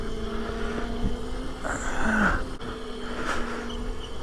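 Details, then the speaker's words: Razor RSF650 electric mini bike ridden by a 200 lb rider: steady motor whine with rough scraping bursts when brakes applied; rider suspects worn rotors rather than pads or calipers, possibly a wheel or rim issue, unconfirmed. "oh it is not happy with me folks time for some new brakes new rotors especially you hear that that ain't pads or calipers let me tell you that noise wow"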